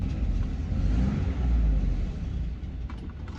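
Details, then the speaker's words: Land Rover Freelander idling in a narrow, echoing space after the exhaust was welded with a piece of pipe; low, soft, even rumble with no blowing or ticking; exhaust now sealed and running quiet. "now that we're actually we're in a kind of a narrow space with a bit of echo and you can hear just how quiet"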